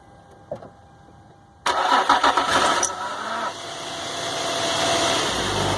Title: Squeaky noise on 2005 infiniti G35x